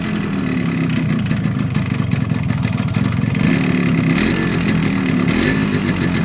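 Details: 1986 Japanese Yamaha RX100 two-stroke with original block and silencer, idling and blipped: hollow clatter on each beat; connecting rod fine but piston loose in the bore, piston slap, piston replacement and reboring planned.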